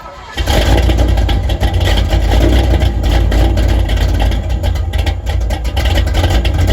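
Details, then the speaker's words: 1974 Corvette V8 after repair of bogging and sputtering problem, run through several heat cycles checking for leaks: catches quickly, settles into deep, steady, even rumble with no knocks or ticks, great oil pressure at idle; healthy idle. "so I've just been sitting here kind of letting this thing run through a few heat Cycles just to see you know let a run check for leaks let her run over and over again"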